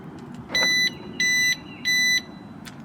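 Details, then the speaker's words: 2006 Mercedes W211 E350 4matic: the replacement alarm siren is the wrong part, a piezo-electric buzzer giving three shrill, thin, flat electronic beeps about two-thirds of a second apart instead of the proper siren. "what the hell is that it's a peo electric buzzer that's just Amplified"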